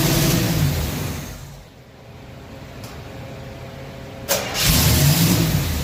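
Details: Chevy carbureted V8 stored since 2010, restarted after new carb, fuel pump, plugs and wires: catches briefly, runs uneven and lumpy, fades, then surges again; cause not found.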